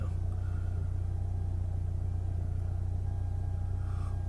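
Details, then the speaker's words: 1998 Eclipse GST, engine nearly warm, after fitting FIC 650cc injectors and ECUflash tune; earlier P0303 cylinder 3 misfire suspected from third injector: steady, even warm idle, no stumbles or skips, sounds great. Normal warm idle. "the engine is pretty much warm boat should be running much smoother now and run sounds great actually"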